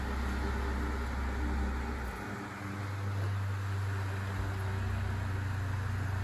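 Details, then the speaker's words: 1970s Sears (Lasko) 9-inch portable fan, model 453.8100, drawing about 0.9 amps, on high speed; motor possibly Sanyo. Steady low hum and soft airy whoosh without rattles or scraping, a healthy late-70s Lasko whir. "it really sounds like a lasko fan it really has that distinct kind of uh like late 70s lasko whirring sound"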